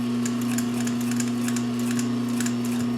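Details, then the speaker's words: Vintage Pfaff 134-0-6 industrial lockstitch machine with a clutch motor, sewing 4 layers of heavyweight denim with Gütermann Tex 40 thread at slow speed. Steady motor hum under light, unhurried needle ticks with no knocking or grinding: smooth, normal operation. "So you can see how smooth the machine is. Let me try to reposition myself. So you can see the slow speed control you have."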